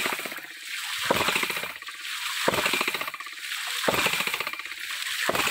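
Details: Mini hydraulic ram pump (hidram) rated 150 psi with a 6–7 m drive head through five 6 m steel input pipes, pumping through 1-inch HDPE hose reduced to 3/4 inch at about 1.5 bar: sharp watery clacks about 43 a minute with surges between, normal ram pump beat.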